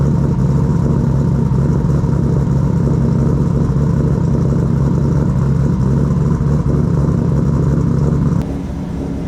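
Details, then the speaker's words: 1000+ HP MK4 Supra drag car (big turbo, 4" exhaust, ProEFI standalone ECU, base tune) starts once fuel pressure is restored after wiring fixes; strong, even engine note, no stumble, tick or miss. Normal running. "So now we have fuel pressure. All right. Sounds nice. Oh my goodness. It sounds so good."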